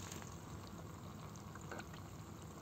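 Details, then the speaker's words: Sera Flore 500 active reactor, newly unboxed, running: faint, low, steady watery churn with slight bubbling hiss and no rattle; propellers turning with water and air, normal running noise, less than before air was purged. "en fait ça fait ce genre de bruit franchement si je m'approche ça fait du bruit si je m'éloigne enfin j'entends rien"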